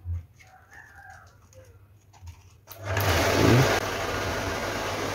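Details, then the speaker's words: Shimizu 268 BIT jet pump that only hummed without turning, after the stiff fan was freed by hand: a click, then a steady even hum and whir with water flowing out; pump runs normally after the fix. "Nah, ternyata dia berputar ya, normal ya, suaranya juga masih normal, dan itu bisa dilihat air sudah keluar ya, sudah keluar."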